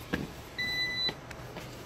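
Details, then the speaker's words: Network rack UPS with two external battery packs in a simulated wall power outage, switched to battery mode; one steady high beep about half a second long as NAS, servers and switches stay up. "You can hear it beeping. NAS drives are still up. Servers are still up."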